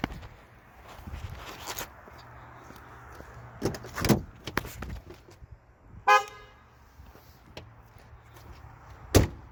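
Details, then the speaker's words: Ford Crown Victoria (owner's sixth, neglected with black oil) after the owner repaired the horn: a few brief, clear, strong horn toots over a quiet street; the horn now works normally. "Now, I already fixed the horn. Let me roll a whole clip of that. You'll hear what it sounds like before and what it sounded like before and what it sounds like now."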